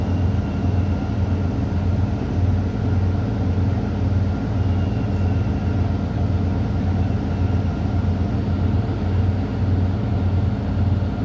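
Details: Semi truck started at about 100 psi to build air pressure, in neutral with both brakes set: deep steady diesel idle with even low pulse and no knocks or rattles; healthy idle while the compressor charges.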